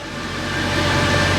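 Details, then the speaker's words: Mercedes C63 AMG V8 salvage rebuild: a deep, even rumble at steady idle with no knocks or misses, warming up after a start that was not fully cold (some temperature from earlier). The camera was taken inside. "How insanely good does that sound? Such a nice, like, you know, V8 little rumble to it. I love it."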